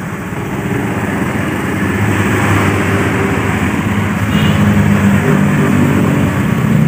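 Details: Honda Beat FI scooter after repairing a seized piston (piston and pin sanded), left idling for several minutes to break in; steady low putter, fairly even beat, outdoor traffic behind, no knocks, normal idle.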